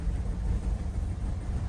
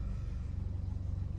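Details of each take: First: Chevy Cruze/Buick Encore 1.4L with check engine light, codes P0106/P0131/P0171/P1101, idling low and uneven with a wavering whoop-whoop rumble and fluctuating needle, worsening; cause is the failed PCV valve in the valve cover. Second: 2015 Buick Encore 1.4L, warm, after replacing the faulty valve cover (codes P0106/P0131/P0171/P1101) that caused rough idle with a fluctuating needle about 20 s after start: steady, even low rumble with no hunting; normal, very smooth idle.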